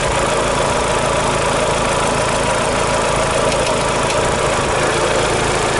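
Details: Daewoo Lanos 1.6 16V at idle after a head gasket replacement and head resurfacing: fast, regular light knocking over the engine note; knock appeared after driving home; owner suspects the mechanic's work or a failed roller, not confirmed.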